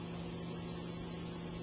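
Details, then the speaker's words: New Centurion E+ two-speed pool pump, switched to low speed drawing about 1.3 amps: noticeably quieter even low hum with steady tone, no grinding or rattling; normal low-speed running. "it'll switch us to low speed and as you can tell there's a big difference in sound the amp meters drop completely completely down to zero"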